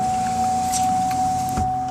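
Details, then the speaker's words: 2005 Chevy Impala power window after repairing a broken ground wire that caused a buzzing switch and a dead window: smooth, steady motor whine at even pitch, ending with a soft stop; window rolls up and down normally. "but sorry I noticed videos a little shaky but as you can see the window rolls up rolls down now"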